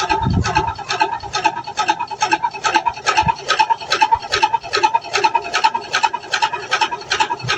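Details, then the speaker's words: LG inverter washing machine on top-speed spin: rhythmic rasping scrape about two and a half times a second; motor and gearbox below show nothing, technician suspects and then confirms something caught inside the drum, between drum and tub. "Ha saya suspek dekat dalam drum ni. Kalau dekat [ketawa] bahagian motor ataupun gearbok bawah ni so far tak ada apa-apaah. Saya tak ada nampak benda-benda asing pun. So saya sha ada something wrong kat dalam drum ni."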